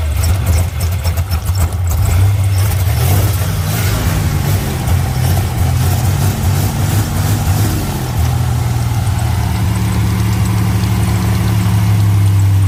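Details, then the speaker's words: 1980s turbo Buick barn find, long sitting, smoking: light fast ticking over a low steady idle, then it fades to an even idle; ticking stopped, cause unknown, owner suspects a vacuum issue. "I don't know what that problem is I'm not sure if it's a vacuum the ticking has stopped that's a good thing"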